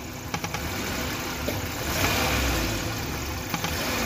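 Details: Old-model Maruti Suzuki Wagon R engine at idle with a faint airy hiss and scattered light ticks; vacuum leak from a detached hose.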